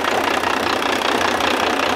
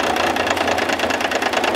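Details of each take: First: Diesel engine on a test stand, fed from a battery cart, oil pressure 52 psi at idle: steady diesel idle with an even clatter and no uneven knock or miss; healthy normal idle. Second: Diesel engine on test stand with battery cart to starter, injector line cracked open to check fuel delivery: rapid clatter with slightly uneven beat as that cylinder drops out.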